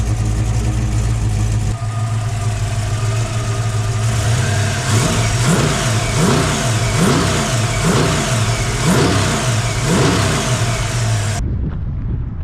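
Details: 1961 Ford Falcon, 302 5.0L V8 with FiTech EFI, Comp cam, aluminum Ford Racing heads, after exhaust leak repair: deep steady burble then clean rising throttle blips, no ticking or puffing; tight healthy exhaust, normal acceleration.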